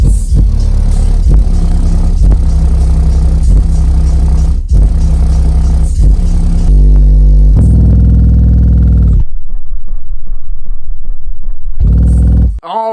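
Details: American Bass XD 12-inch dual 2-ohm subwoofer wired in series to 4 ohms: deep bass notes clean and steady with no hiss or air chuffing heard earlier on the DX; normal playback.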